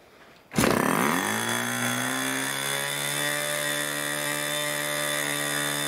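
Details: 1980s Irvine 40 MkII ABC Schnuerle glow engine with twin-needle carb, 10x6 Master Airscrew prop, 7% nitro and 20% oil fuel, OS plug, on its first run: it catches and settles into a steady, soft, burbling buzz. The needle is too rich and gets leaned.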